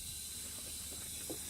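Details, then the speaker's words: 1992 Plymouth Laser RS Turbo, intake pressurized with about 10–20 psi from an air tank to find a leak suspected of causing idle surge: a faint steady hiss as air escapes at a bulging kit coupler clamp, a boost leak. "start to hear a hissing noise over this away yeah you can kind of hear that hopefully on the camera but it's also pretty easy to see that there's a little bulge there"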